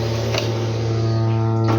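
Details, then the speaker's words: Samsung washer-dryer, switched off and unplugged yet still making a loud steady low buzz at one fixed pitch that shakes the machine, no motor rhythm; points to a vibrating water inlet valve. "ó e a lavadora continua com barulho ela toda desligada tirei da tomada e ela continua com esse barulho é o barulho é tão alto galera que ó fica tremendo a lavadora ó tremendo tremendo a lavadora"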